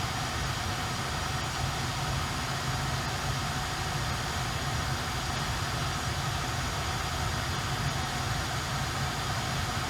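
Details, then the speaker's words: Earlier-built 2021 Tesla Model Y, parked: only a faint, steady, even hum under soft hiss, with no whine or rise; a quiet, healthy climate system, unlike the newer car's hum. "we're going to turn this off and it's pretty quiet there is a sound but it's so bare minimum that i don't care for it whatsoever"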